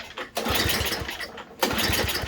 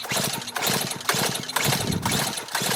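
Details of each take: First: Murray Ultra 5hp 22-inch Tecumseh snowblower, no-start complaint, fuel on and primed, pulled with and without choke: quick chuffing pull bursts that never catch, no fuel heard coming. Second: Murray Ultra 5hp 22-inch snowblower, Tecumseh engine with compression release, compression gauge test, choke off, throttle full, about ten pulls: nine even firm chuffs reading around 75 psi, judged ideal, normal compression.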